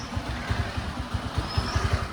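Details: Suzuki Access scooter that previously ran only on choke and stalled at idle, fault traced to the carburetor jet system: low steady putter of the small single at idle, even pulses, no stalling or hunting. Normal idle.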